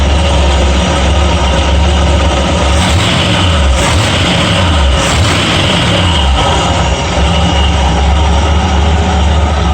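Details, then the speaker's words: Ford F100 351W V8 started cold after new valve stem umbrella seals: steady deep idle, even low rumble, no ticking or misfire, settling smoothly as it warms; idling fine, to be checked for smoke. "Seems to be idling fine. I'm gonna let it get warm and shut it off."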